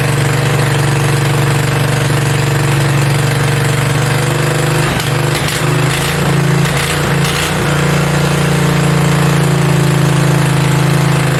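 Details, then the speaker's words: Mini bike V-twin, a generator engine, first start with belt off and throttle knocked up; loud fast even buzz, about four pulses a second, staying high; idling way too high, fix is the idle screw underneath needing a screwdriver. "i thought i was gonna be able to adjust the idle up on the top part but there's actually a screw underneath holding it because it's idling way too high so i gotta find a screwdriver and get that adjusted"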